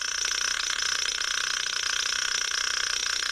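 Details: Sokol 403 9V transistor radio, previously connected to 220V AC mains, during repair: steady high treble hiss and crackle with a faint flutter about four times a second; spurious noise, source not identified.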